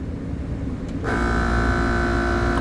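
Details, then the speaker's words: HVAC unit with transformer re-tapped from 240 to 208 V kicks on with a loud, harsh hum and steady high whine: three-phase motor running backwards from reversed phase rotation; after swapping phases it sounds much better. "sounds like it's running backwards flip it over we'll change it real quick and see maybe it's not but it sounds loud to me"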